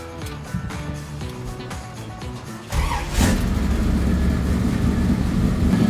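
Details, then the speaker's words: 1969 Chevy C10 with big-block and manual transmission, completed and test driven; deep lumpy choppy idle, three or four pulses a second, healthy and feisty. "Oh, that sounds killer. Sounds good, right? Oh yeah. It's got a nice little choppy idle to it. It sounds feisty."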